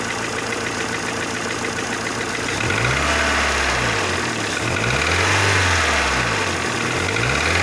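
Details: Mercedes Vaneo or A-Class 1.6 petrol, after engine flush and oil change; light fast clicking from the top end over a rough idle, keeping time with the engine, hydraulic lifters ticking.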